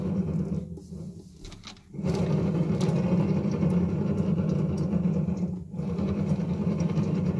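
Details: Haas ST25 lathe spindle motor run isolated: loud, rough, gritty grinding rumble from a failed motor bearing; spindle bearing housing is smooth.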